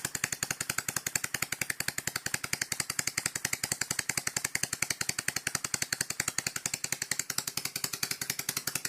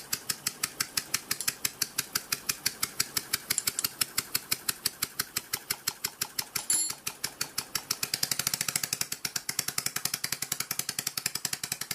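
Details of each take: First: Dismantled scroll compressor running on a table, fixed scroll removed, not bolted down, low speed: fast, very even metallic clacking about nine a second; owner thinks it is a bit dry, oil pump only works at high speed. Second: Scroll compressor running dismantled on a table, fixed scroll not in place, not bolted down, kept at low speed: crisp even ticking about three a second, no grinding or knocking; running smoothly.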